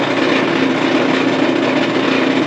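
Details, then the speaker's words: Front-loading dryer that won't tumble: a steady, smooth motor whir with no drum tumble or thumping; the motor spins fast but the drum doesn't turn, so the drive belt is broken. "Okay, that sounds like the belt is just broken. The motor's spinning fast, but the barrel's definitely not turning and the belt is definitely broken."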